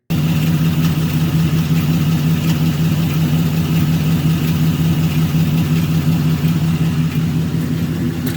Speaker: here are a few examples of what normal valve train noise sounds like